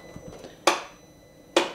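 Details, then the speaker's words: 2019 Polaris Sportsman ACE 570 ATV gives two sharp single clicks about a second apart and no crank; earlier it cranked very slowly. Owner suspects the battery, maybe the starter, unconfirmed. "Crank that over one more time start it ah there it is just clicks"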